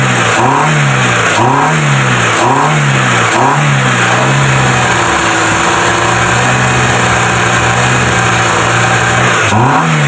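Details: Proton Wira after throttle body cleaning, fixing low idle, stalling and no power: four quick throttle blips rise and fall cleanly, steady idle holds without dipping before another rev; running smoothly.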